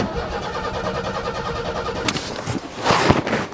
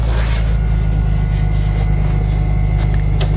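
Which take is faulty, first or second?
first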